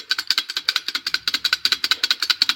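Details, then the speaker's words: Honda Civic clutch disc shaken by hand: dry, rapid metallic chatter from worn, loose damper springs in a disc cracked through a spring pocket. The flywheel is also cracked. "not a good sound you should not hear any noise from your clutch disc at all and all the springs are worn and things like that so that's pretty much what that sound comes from"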